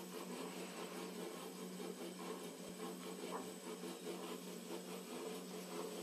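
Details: Emco Compact 8 lathe spindle turning: continuous dry rasping and rubbing with faint steady hum and loose roughly once-per-second rhythm; spindle noise, cause unknown.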